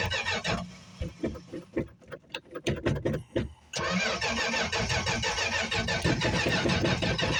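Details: 1965 Plymouth Barracuda six-cylinder, cold start after sitting about a month, recently worked on: ragged cranking with uneven catches for nearly four seconds, then stumbles into a rough run; hard starting from fuel starvation.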